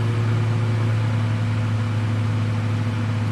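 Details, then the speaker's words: Inverter in an RV running a microwave, about 1100 W draw: steady low hum with even cooling fan rush, fan easing slightly. Inverter cooling fan under heavy load, working normally. "fan slowing down a little bit. We're drawing 1100 watts there by the looks of it."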